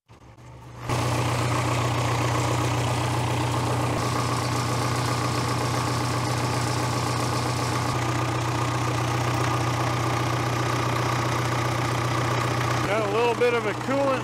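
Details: 1970s Cat D330C 4-cylinder diesel generator set (90 kW standby), sitting 10+ years, refired warm after adding water; catches and settles into a steady, even low rumble with no knocks, misses or hunting.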